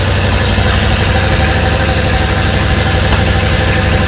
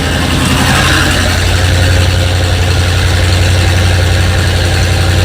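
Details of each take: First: First start after fitting 7600 heads, carburetor, no coolant yet: deep, steady low rumble at fast idle with even beat; runs cleanly but idle still high, needs idle adjustment down. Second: Engine with 7600 heads just installed, carburetor fitted, first start with no coolant yet: steady, fast, raised idle with a firm low drone that does not settle; idle speed set too high and needs adjusting down.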